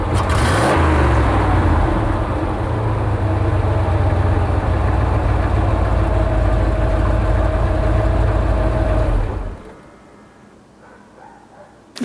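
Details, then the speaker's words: 1990 K3500 dually, 454 V8 with gear-vendor splitter, heard revving from outside after a drive: deep roar with an uneven, stumbling beat; the engine is missing, which the owner puts down to not getting enough fuel. Engine misfire. "can you hear him missing that's because it's not getting enough fuel"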